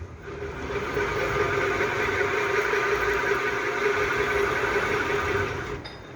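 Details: Honda XRE 300 / CB 300 engine disassembled, bare crankshaft turned: rough, gritty rumble with a faint steady hum from a damaged crankshaft main bearing, said to be the left-side one; a known chronic fault, not the cylinder head.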